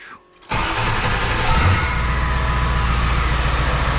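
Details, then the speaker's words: 2002 7.3 Powerstroke diesel, first start after engine install with intake open: brief crank, clean catch, settles to an even diesel idle clatter around 800, no misfire, barely smoking; smooth normal start. "smooth as butter"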